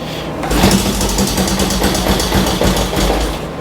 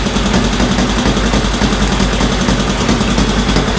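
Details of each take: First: 1965 Honda CL77 305 Scrambler twin, restored, not run in several years, kick-started with choke on after tightening spark plugs: fires and runs with quick uneven patter about three seconds, then dies; brief start then stall. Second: 1965 Honda CL77 305 Scrambler twin, restored, first start in several years after fogging oil, restarted with choke off: loud, steady idle with even, regular firing pulses, no knocks or stumbles; normal healthy idle, still to be heat-cycled.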